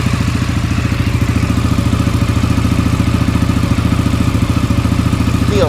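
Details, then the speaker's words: Rebuilt, previously blown-up CFMOTO ATV idling in neutral with the drive shaft not yet fitted; even, fast exhaust pulses with no knocks or misses, running really good, with a slight exhaust leak noted. "It seems to be running really good."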